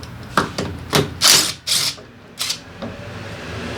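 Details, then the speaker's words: Daelim Citi Ace 100 (CA100) with oil drained: irregular sharp clunks and rattles in bursts over a faint engine note when shifting gears, caused by worn clutch lifter assembly rollers needing replacement; other internal faults still possible. "Các con lăn trên cụm nâng ly hợp bị mòn (cần phải thay thế). Tôi đã tìm ra nguyên nhân của tiếng ồn."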